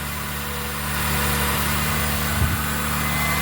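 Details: 2002 Toyota Sienna idling after cracked exhaust manifold was wrapped in repair tape over electrical tape, warming up to melt the tape: loud steady idle with a faint puffing tick in the exhaust note, already slightly quieter; manifold leak partly sealed.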